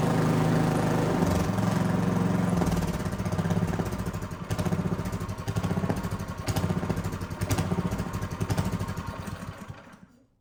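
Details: Neglected, weathered Craftsman snow blower (model 247.889571), small single-cylinder carbureted engine at cold start, choke off then partly on, about half throttle, primed with fuel: fires up strong, then lumpy, surging beat; needed some choke to smooth out.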